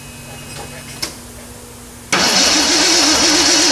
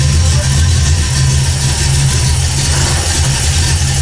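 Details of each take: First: 1979 AMC Spirit AMX, carbureted AMC 304 V8 rebuilt about 20,000 miles ago, first start after a Carb Cheater install: starter spins with a steady wavering whir but never fires. There is no spark; the ignition coil wires were found disconnected. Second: 1979 AMC Spirit AMX, carbureted AMC 304 V8 rebuilt about 20,000 miles ago, idling after a Carb Cheater install and reconnected coil wires: low, steady throb with even pulse, no misses or knocks, fading at end. Engine idling fine.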